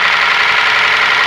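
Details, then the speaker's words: Ford Ka three-cylinder at idle: loud, harsh, dry metallic top-end clatter blamed on lack of lubrication; oil pump pressure is to be checked next; valvetrain clatter from oil starvation. "um barulho aqui horrível. Um barulho feio, tá vendo, galera? Trabalhando seco aqui a parte de cima."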